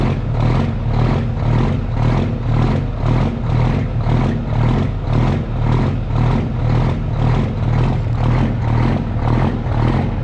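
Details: Custom Peterbilt with Cummins diesel, cold start after sitting three days: high idle with slight even lope, about two pulses a second, no knocking, settling down as it warms; healthy.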